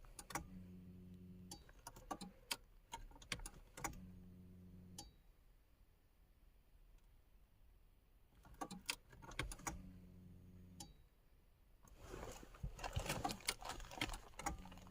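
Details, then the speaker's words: 1994 VW Golf 3 Variant after fuel pump replacement, heard from driver's seat with key on: short electric buzzing whirs about a second each, repeated several times; normal fuel pump priming building pressure. "So I can hear the fuel pump. I'm gonna let it prime for a bit."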